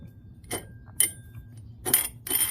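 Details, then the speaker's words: Mini-bike CVT belt drive, front drive clutch spun by hand: short dry metallic rasps, gritty each turn, from the drive clutch bushing that needs grease so the clutch can idle. "If you guys hear that, that's this bushing that needs a little grease on it. The bushing just lets it idle."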